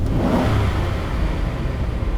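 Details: V8 with mechanical returnless fuel system (regulator in tank) after new fuel pump install, snap throttle test, night-and-day better than before: quick rev rises cleanly and settles without stumble, bog or hesitation; normal throttle response.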